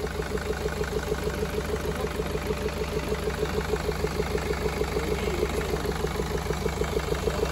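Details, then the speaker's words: 2013 BMW 520d diesel, about 180,000 km, towed in: lumpy, pulsing idle about three beats per second over the clatter, with heavy blow-by gas. Other shops had suggested engine boring or turbo work. Misfire. "차량이 엄청나게 부조 하면서 블로 바이 가스가 엄청나게 났었어요"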